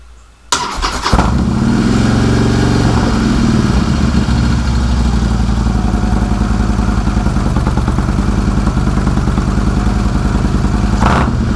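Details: Harley-Davidson Street Glide with new S&S Sidewinder exhaust and heat shields, after a night on a battery tender, in neutral: starter catches within a second, then a deep, steady, loping V-twin idle with even firing pulses; healthy, with no leaks hoped for.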